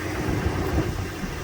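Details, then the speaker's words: Truck idling with heavy, uneven low rumble that wavers; everything on top of the block is bad—fuel injectors, intake; new parts bought to smooth it for daily use, engine swap possible otherwise. "This one needs just about everything. Everything on top of the block is bad on this engine, meaning the fuel injectors, the intake."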